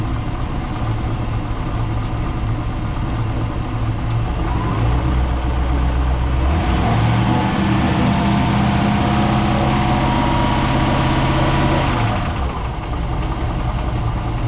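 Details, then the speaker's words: Project boat, starboard engine at its first start-up on a water hose: rough idle with a regular knock at about four per second that steadies as the revs settle; owner suspects a rod knock, possibly a lifter, not confirmed. "That don't sound good. All right, let's try the other one. Might have a rod knock in this one. Starboard engine, this one here, sounds like it has a rod knock."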